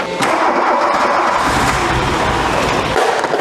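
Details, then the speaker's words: Barn-find VW Scirocco Storm with K-Jetronic injection, just after warm-up regulator rebuild, fuel mixture expected out: short crank, then catches quickly into an even, quiet run with no stumbling; normal start. "Did you hear how lovely and quiet that was? Wow. Okay, sorry, apologies to the battery charger, but that actually fired off really well."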